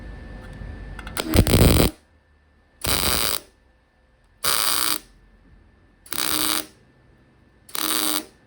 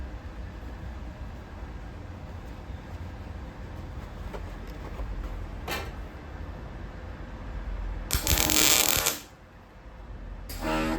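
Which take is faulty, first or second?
first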